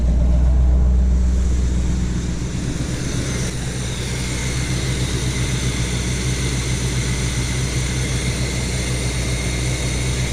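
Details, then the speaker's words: 1975 Chevy C10 with factory Quadrajet carb, first cold start after the carb rework fixed a high idle. A steady, even low rumble holds one speed with no misses or knocks; the cold fast idle sits low and should be about 1200–1600 rpm. "so that's the fast idle that means the fast idle probably needs to come up it should be more like 12 maybe 1600 on the initial cold start"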